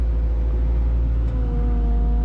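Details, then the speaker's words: CAT 304 mini excavator diesel in cold weather, after bucket swap: idle drones low and pitch sags as if under load; blade angle not working, owner suspects the blade angle switch is at fault. "here how it instantly sounds like it's under load pretty sure has something to do with this switch"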